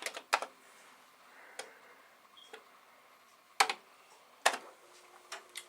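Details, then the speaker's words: Commodore SFD-1001 IEEE single disk drive on a Commodore 8296, rescued by three chips, loading a saved program back: scattered sharp ticks and short clicking bursts as the head steps; normal loading. "so here we have it drives it seems to be working rescued by three chips that were not in the other driver"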